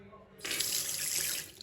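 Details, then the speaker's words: Smooth, even hiss of water from a bath or basin tap after repair with new washers and copper grease on the spindles; no judder, squeal or hammering, tap flowing normally. "So bath taps, basin taps, new washers, some copper grease on the spindles, and they're all working"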